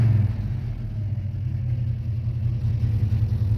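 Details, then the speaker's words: 1971 Plymouth Roadrunner 383 V8 with pistol-grip 4-speed, running in cold winter weather with a light rev: a deep, even V8 rumble and steady low burble, no knocks or misses. Owner says it sounds and runs good. "Don't want to over rev it or get it too worked up in the cold here, but it sounds good, it runs good, it moves good."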